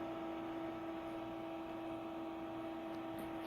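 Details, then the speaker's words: Lithium generator built from a VW e-Golf battery block, powering a freezer for 24 hours: steady, even cooling fan hum with a clear mid-pitched tone and no rattle or wobble; normal. "So when it gets warm, then it's gonna put some kind of air, so pulsing here."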